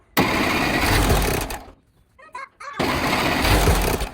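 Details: 1960s Massey Ferguson 204 forklift with a Continental gas engine, after new spark plugs and an oil and filter change, no choke cable connected: catches, runs roughly about 1.5 seconds, dies, then refires. Hard starting.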